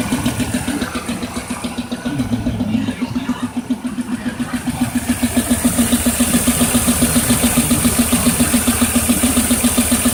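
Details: 2002 Pontiac Firebird 3800 Series II V6 at idle: steady, sharp knock about three and a half beats a second; owner unsure if rod bearing, lifter or piston.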